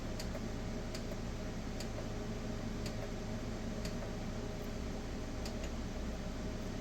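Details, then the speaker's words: Solar battery bank with LiFePO4 batteries and voltage meters, nothing switched on: sharp irregular clicks about every second over a low steady hum, source unknown. "I hear the clicking and I'm not sure why it's clicking because there isn't anything even on"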